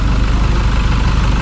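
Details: 2012–13 Chevrolet Colorado diesel cold start the morning after injector and wiring repairs: even low chug at idle, no knock, stumble or white smoke; healthy normal idle.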